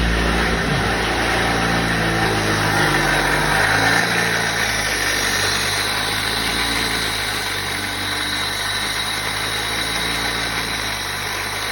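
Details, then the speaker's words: Opel Zafira 1.8 at idle: a regular knock about four times a second over the engine hum; water pump has a lot of play when levered by hand, and the worn pump bearing is banging. "И вопрос к диванным аналитикам. Может ли на самом деле грохотать так сильно помпа воды?"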